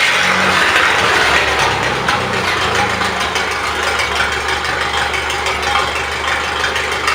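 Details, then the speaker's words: 1970s Miller Big 40 AC welder generator with strong Red Seal engine, welder that generates power but won't weld: steady low idle with light patter, engine never revs up when grinder load applied, idler not responding, though current is produced. "Grinder. Gas not picking up. Rev up. Does mean we're getting current though."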